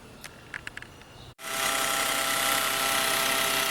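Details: 2017 Peugeot 208 1.2 three-cylinder; the noise started small and grew louder over time. At idle and a light rev, a loud busy whirring rattle comes from the front of the engine.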